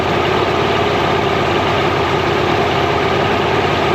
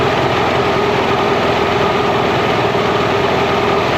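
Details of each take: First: Mercury inline-6 outboard, timing marks missing, warming up in water: steady drone with uneven lumpy beat at idle; intermittent weak spark on #3 cylinder; coil later swapped. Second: Mercury inline-6 outboard at idle near 1100 rpm during an intermittent #3-cylinder spark hunt, timing marks missing: loud, even drone with a steady hum, no stumbles or dropouts, smooth idle on all cylinders.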